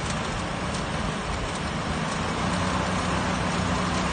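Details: 1966 Ford Mustang running after 12 years of not starting: steady, even low rumble with no knocks or misses; smooth idle, normal running.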